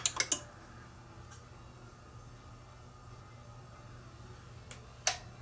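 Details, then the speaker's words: Yamaha RX-A730 receiver, intermittent then no sound on any input: sharp single relay clicks at power-up over a faint hum as the speaker relay and power amp engage normally, ruling out an output failure; normal relay click. "so what I do here is when I turn it on you'll hear the relays click so we know the speaker relay is clicking in"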